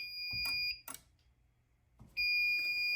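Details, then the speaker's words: Fire alarm panel drill test: horns sound a shrill steady high tone, cut out about a second, then resume; CO strobes still activate on drill even after the CO point's zone was changed from monitor to supervisory, which didn't help. "Okay, let's try drill again. And it still went."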